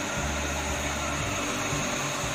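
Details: Jet water pump that hummed without pumping, after freeing its fan by turning it by hand (capacitor not at fault): steady, even hum with a faint high whistle and no labouring; the motor runs freely and smoothly; normal running.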